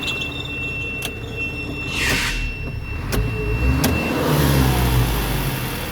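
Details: Isuzu Reward diesel at rough idle with the AC on: a thin, steady high squeal lasts several seconds; a noisy accessory belt is slipping under the AC load.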